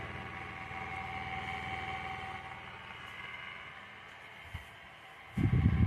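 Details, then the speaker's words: Inverter split AC indoor unit, running. The noise comes from the blower fan motor mounted in the blower frame: a low droning hum with an uneven rumble of about three to four pulses a second. The failing motor must be replaced. "यह आवाज indoor motor से आ रहा है जो कि blower frame में लगा होता है। जिसको ब्लोर फैन मोटर भी कहते हैं।"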